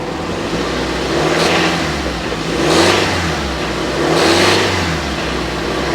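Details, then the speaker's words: Nissan 350Z with 48,111 miles at auction, low fuel, heard from outside: three smooth revs, faint possible knock under revving, cause unconfirmed; suspected knocking when revving. "it sounded like when you started revving it up it was knocking a little bit"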